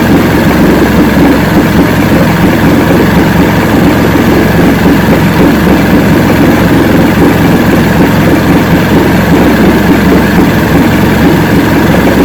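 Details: 1970 Evinrude 85 hp two-stroke outboard, hydroelectric shift, new water pump impeller, run in water container in neutral: loud steady burble holding even rhythm, no stumbles or surging; normal idle, carburetors good at idle.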